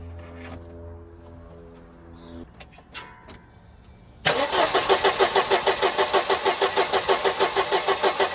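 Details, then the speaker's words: 1988 Mercedes 190E W201 petrol engine after valve stem seal replacement: starter spins it about three turns a second but it never fires; no fuel in the tank, and a manifold pipe was left off. "Okay, I'm not sure what is going on here. I got no starting."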